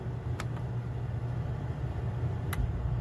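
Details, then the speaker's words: Coleman Mach 8534 RV rooftop heat-pump air conditioner after replacing the start and run capacitors: steady fan hum with a faint click as the compressor kicks in, smooth and even; air conditioner working again. "there it goes heard it kick all right we got a working air conditioner"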